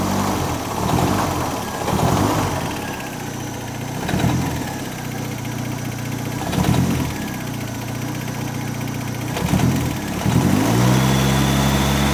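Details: Model A coupe hot rod, long stored, on a tired engine with about 20 oil pressure, loose motor mount, loose alternator and flopping belt: blipped, a short metallic rattle each time the revs fall; source not found.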